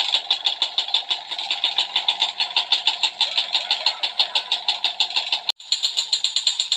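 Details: Yamaha Alfa two-stroke / Honda Supra 125 engine, idling, weak power: sharp regular tick about three times a second over idle from cylinder area; piston to be replaced.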